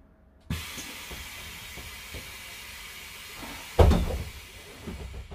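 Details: Setra S 315 bus, fleet number 83, ignition on, front and rear doors cycled: sharp air hiss and thump as a door swings, then quieter releases and clunks; door system working normally.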